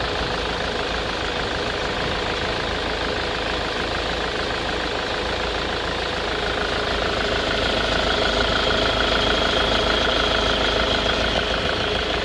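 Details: Jaguar 2.0 diesel on a cold morning with white smoke, lumpy uneven idle and hardly any throttle response, fine once warmed; recent oil change, MAF and camshaft sensor replaced, glow plugs tested OK; rough cold idle, cause not pinned down.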